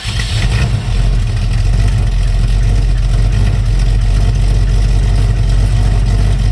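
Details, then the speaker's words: 1971 Mercury Comet GT, freshly installed 347 stroker V8 with roller rockers, warm, first runs: loud steady V8 rumble with a faint clack underneath; owner unsure if rockers or something else, suspects loose header bolts or rocker. "I heard something clacking. I just don't know if it's rockers or something else."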